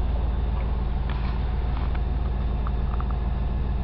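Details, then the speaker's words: 1985 Buick LeSabre Limited, Oldsmobile 307 V8 with Rochester Quadrajet, after cold start following five months' storage, kicked down from high idle: low, even idle with a soft steady burble, no misses or ticking; normal warm-up idle. "We're in high idle right now at 55 pounds of oil pressure. Now we just kicked it down."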